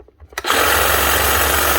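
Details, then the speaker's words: Cordless power tool; quick spin-up to a steady even motor whir holding pitch, tool runs normally. "is working, so I'm going to leave it well enough alone."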